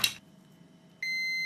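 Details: Corsa D seat belt buckle, warning beeping even when fastened: multimeter on yellow and green wires gives a short click, pause, then steady high continuity beep as buckle switch contacts close.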